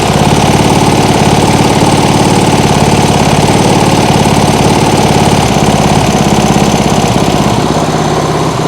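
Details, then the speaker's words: Small single-cylinder lawnmower engine on an outboard rig at its lowest idle: slow, even putter around three and a half beats a second with no misfires; owner thinks it may be a bit too low. "It doesn't sound like it's misfiring or anything. Maybe it's a bit too low."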